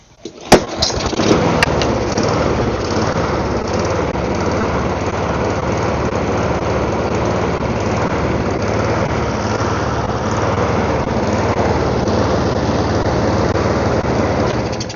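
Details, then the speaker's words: Small engine left outside with water in it, just after carburetor bowl reassembly, fires and runs with an uneven, ragged buzz; rough running, owner suspects water on the spark plug. "Now it is running very poorly, and since there was water in it, I am going to pull the spark plug out and see what the spark plug looks like, because that probably has water all over it"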